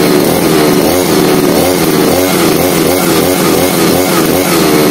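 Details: 52cc two-stroke straight-shaft brush cutter (25:1 fuel mix), primed, choked and switched on: fresh start settles into a steady, even buzz with a clean, regular firing beat and no misses; normal running.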